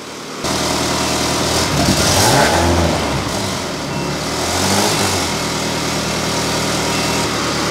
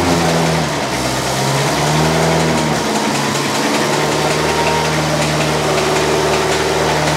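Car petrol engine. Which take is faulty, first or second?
second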